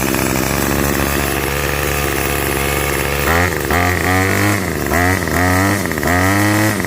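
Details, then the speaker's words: Revived curbside Craftsman 25cc two-stroke trimmer with a new fuel return line, restarted after cooling for 30–45 seconds: buzzy idle revs up cleanly in repeated blips and drops back smoothly, no misses or stalls; the repair held. "All right. So, looks like that was a good repair. Not too bad."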